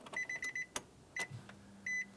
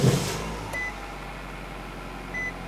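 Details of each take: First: 2007-2012 Nissan Versa after new fuel pump module install, key on, engine off: chimes over a faint steady low buzz as the new pump pushes fuel up to the engine; normal fuel pump priming. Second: 2007-2012 Nissan Versa, fuel pump fuse pulled before replacing the fuel pump module under the rear seat: engine cranked and left to run until it stalls, depressurizing the fuel system. A low, even idle with a few chimes sags and dies after about five seconds from fuel starvation.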